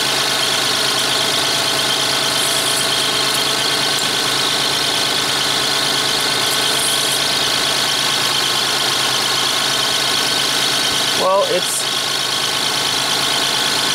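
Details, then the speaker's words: 1994 Lexus ES300 3.0 V6 automatic, idling in park for a transmission fluid check: a thin, high chirp rides over the engine from somewhere in the bay, source unknown. "Vehicle's running, it's in park, it's idling. Got a little chirpy somewhere."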